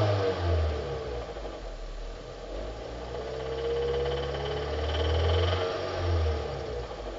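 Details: 2005 Hyundai Sonata, 2.4 L 119 kW petrol, revving up and down: dull, uneven knocking under the low engine hum from worn crankshaft bearings, fixed by replacing the bearings.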